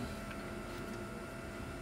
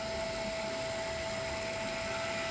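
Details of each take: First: Swiftech Apogee Drive II pump in a water-cooled BitFenix Prodigy home server with its side panels off, running to work out air bubbles: a faint, steady high-pitched whine over a soft hum. The owner expects the thick panels may muffle it. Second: Swiftech Apogee Drive II pump in a water-cooled BitFenix Prodigy home server with an XSPC EX240 radiator, running while filling with coolant: a steady high hum at one pitch under a soft hiss, no rattle. Normal operation, no leaks.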